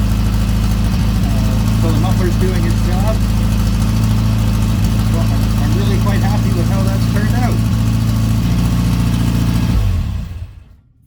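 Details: Bugeye Austin-Healey Sprite on the ground after a self-built exhaust pipe and muffler behind the header, air filter refitted: steady, deep low burble at idle, muffler keeping it quiet and even, no rattles or leaks; normal idle and revs.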